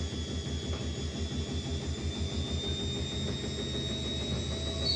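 Spin ramps up with a rhythmic thumping about three per second and a rising rumble with a thin whine; worn drum bearings.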